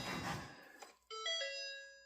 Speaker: Hey, lots of noise, lots of bumping. So, it thinks the door is open and gauges light up.